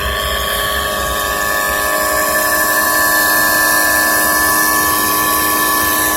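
Constant high whine with several steady tones and a rough rumble underneath, no change in speed; a worn bearing in an electric motor.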